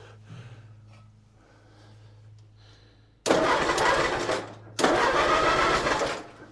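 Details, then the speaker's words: Allis-Chalmers C tractor with a Woods L59 belly mower, first start of the year on a freshly fitted battery with little fuel: two strong cranking bursts with an even chug of about two to three compressions a second; normal cranking. "Seems safe. I'm just gonna hit the button just to see if it'll crank."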